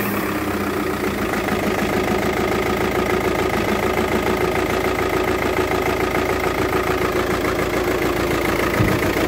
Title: Bruit de moteur avec une panne d'injecteur, c'est un VW Touran 2.0tdi